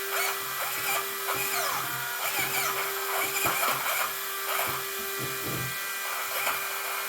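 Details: Traxxas Maxx RC truck after installing GPM steering bellcrank and servo saver, second battery pack: high steady whine with buzzy grinding bursts as steering moves; steering loose when off, owner suspects a failing servo.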